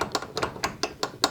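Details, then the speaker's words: Garage door roller rattle: quick bright, hollow metallic clacks, about five per second in bursts, from a bare roller stem slapping metal-on-metal inside the hinge tunnel, before roller sleeves are fitted. "And imagine all 4 of them doing this sound. it's gonna make quite a noise."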